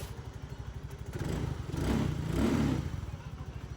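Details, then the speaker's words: Motorstar Easyride 150Fi scooter at 11,350 on the odometer, after 8 months on a modified (kalkal) pipe, refitted with a secondhand stock Easyride 150Q pipe: even soft putter at idle, a short throttle blip, then calm idle; quiet now, running normally. "Tahimik na siya ulit, ano? Ayun, no? Yan. Maandar na po yan. Babomba natin,"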